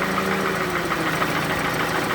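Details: Toyota Camry with 2AZ engine at 220,657 km, smoking from under the valve cover rather than the exhaust; rough idle with rapid light internal knocking, cause not pinned down.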